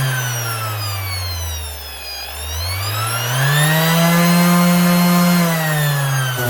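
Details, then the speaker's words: Makita BO6030 Velcro sander from 2021, after the speed controller was replaced: the motor hum sags, then climbs smoothly to a high, steady whine and holds there; running normally at full speed. "Right, it should be this wee Makita sander, ready to sand again. Or at least ready to sand at full speed."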